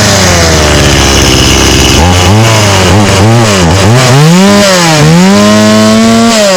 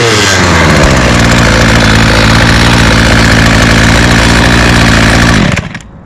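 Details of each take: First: Stihl 018C 32cc two-stroke chainsaw, started easily but running on old gas: uneven revs with the pitch sagging and recovering, so the engine bogs. The old fuel is suspected as the cause. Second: Two-stroke string trimmer started on the first pull, with TrueFuel credited: steady, even buzz for about five seconds, then a clean shutoff; normal running.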